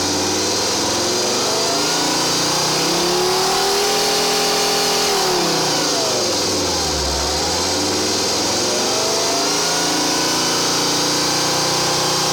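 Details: 2.4 JTD diesel: idles, then revs up and back down, pitch following the throttle, with a strange extra tone riding over the engine; abnormal engine noise, cause unknown.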